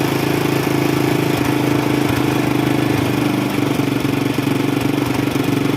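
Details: Small single-cylinder carbureted motorcycle after carburetor cleaning and service for black spark plugs and hard starting, ticking over evenly with steady beat, no misses or hunting; normal idle, though weak CDI ignition still suspected for hard starting.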